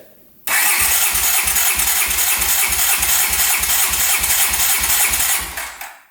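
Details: 1981 Honda CX500 café bike long stored in a basement, cranked with the throttle open during compression testing (200 and 170 psi, within spec): the starter turns the engine at an even beat of about three per second. Normal cranking with good compression.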